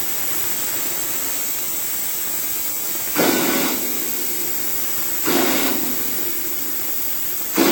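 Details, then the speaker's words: CompAir mobile diesel compressor after bleeding fuel to injectors, smoke on start, unloader not dropping to idle when pressure builds; steady drone broken by loud bursts of hissing steam, starts okay then boils over; coolant loss from a radiator problem. "well that's the best yet starts out okay and then it goes to hell we seem to have a radiator problem too"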